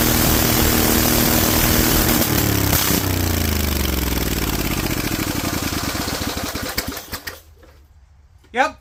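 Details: Rebuilt Vanguard 16HP V-twin with a 23HP carb, idle raised, open air filter and header letting in far more air than it should: revs up rough and uneven, then stumbles and dies away. Lean running from the open intake.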